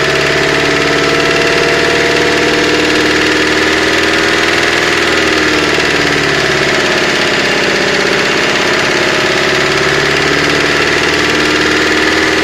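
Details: 2005 Mercedes-Benz Vito engine at a loud idle with a repetitive hard tapping knock. The sump was opened and crank and bearings look like new, so the owner suspects an injector or a hydraulic lifter; unconfirmed.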